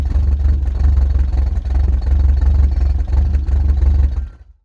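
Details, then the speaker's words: Subaru wagon with an X-Force straight-through fiberglass-packed muffler, heard inside the cabin on the freeway at 100 km/h, 3,000-4,000 rpm under full load: deep boomy exhaust drone with loud low pulsing throb. "get it sort of 3,000 to 4,000 revs under full load, and you'll, on the inside of the car, you'll know what I mean and why I'm changing it."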